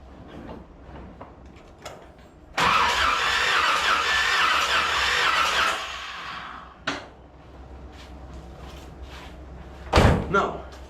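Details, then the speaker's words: 1981 Corvette after engine reinstall, distributor power left unplugged: starter whirs for about three seconds and stops, engine never catches with no spark; crank-no-start caused by unpowered ignition. "Same as always. I forgot to plug the power in. That's what the problem is."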